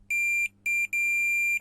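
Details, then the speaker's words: Alfa Romeo MiTo diesel running on three of four cylinders at cold start: removed glow plug tested on the bench with a multimeter gives three sharp high beeps of continuity, so in theory it isn't open circuit. "Donc dans la théorie, elle n'est pas coupée."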